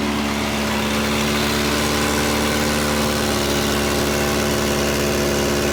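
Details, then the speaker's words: Volvo 240, cold start at about 20 degrees, idle: fast, even puffing tick about four a second over a raspy hiss, sounding almost like an open downpipe; bad exhaust leak. "Oh boy, there's a bad exhaust leak because I can hear it right here. Like it's an open downpipe almost."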